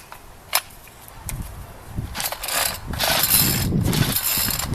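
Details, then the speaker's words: Ryobi 825R four-stroke string trimmer, in bad shape, missing part of its carburetor, throttle cable possibly seized: uneven pull-cord cranking with a ratcheting whir against compression, never fires; compression suggests the valves probably work. "has compression that tells me the valves probably work"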